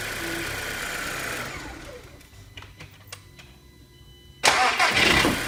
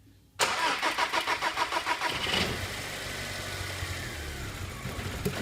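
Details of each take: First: TFSI after running-fault diagnosis and repair, codes cleared: engine cranked about six times with lights on to check voltage drop, cranking briskly and catching cleanly, even idle, no errors returning; normal cranking and start. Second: TFSI with running fault, cranked under fault conditions while measuring relay voltages: brief crank, then dull, lumpy, uneven running; fuel relay output switching late, starving components.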